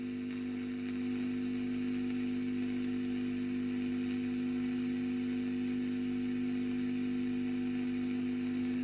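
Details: 1965 WEM Custom 15 valve guitar amplifier, badly serviced before, drawing about 300 mA, with an intermittent noise fault: steady low hum with constant buzz and faint hiss; amplifier hum, cause still unknown.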